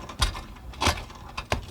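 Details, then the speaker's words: 1997-era four-wheel-drive SUV front axle universal joint at the left front wheel, ungreased: quiet when wheel turned straight ahead, but with steering at full lock a gritty crunch about every two-thirds of a second; partially seized, chewing up needle bearings. "can hear our problem this universal joint is his is partially seized up and it's in the process right now of chewing up or grinding up all the little needle bearings that are in the four caps of this universal joint"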